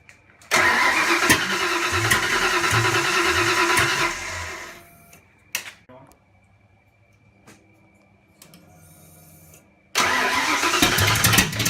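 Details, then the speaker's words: Ford Fox Body 302 turbo build on first start, turbo left off, distributor lined up to the original mark: fires, runs rough and uneven about four seconds, dies, restarts; timing too retarded, fixed by advancing distributor clockwise. "all right so as you saw the engine successfully started we had to adjust the distributor and I'll show you the timing marks"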